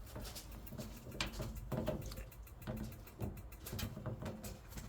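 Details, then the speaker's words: 2012 Swift Challenger 480 caravan gas fire, dial pressed in: sharp dry clicks roughly twice a second in a quiet room; piezo igniter sparking normally while the fire lights. "So with a gas fire, you press this dial in and you'll hear it clicking."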